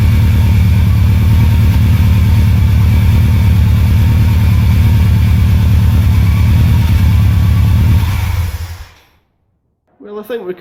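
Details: Rebuilt Subaru Impreza WRX engine on its first brief test fire, run without coolant: it catches and runs with a steady, even low beat for about eight seconds, then shuts off. Oil pressure came up well. Normal running.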